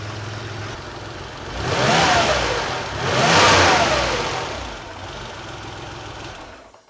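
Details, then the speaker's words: Porsche 911 Carrera 3.2L on a test stand warming up, fuel pressure about 2-2.1, oil about 120 degrees, oil cooler 95, thermostat possibly not open: revs up twice smoothly, settles to even idle; healthy. "so fuel pressure is at like 2 2.1 awesome yes it's about 120 degrees on the oil starting to heat up the tank"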